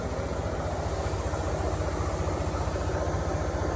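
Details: Mercedes engine at idle with a misfire: rough uneven idle with a lumpy low thump of about four beats a second; the spark plug wells were found full of water.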